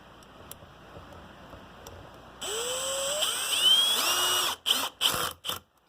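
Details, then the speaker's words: Electric screwdriver with clutch set to lowest setting (2) driving T10 screws on an amplifier reassembly; motor whine rising then rapid ratcheting clatter as clutch releases, preventing stripping or over-torque. Clutch slipping at low torque setting. "You can hear the clutch going. You see, if you set them on their lowest setting, he won't strip anything out and just utilizes the electronic clutch."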